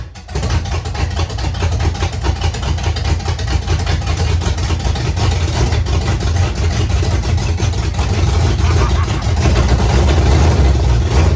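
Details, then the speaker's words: 1968 Pontiac Firebird V8, first run after sitting a long time, after clearing a flood, oil near the add mark: catches and settles into a steady, loud, low rumble without stumbling; healthy normal running. "oh I'm so excited it lives again"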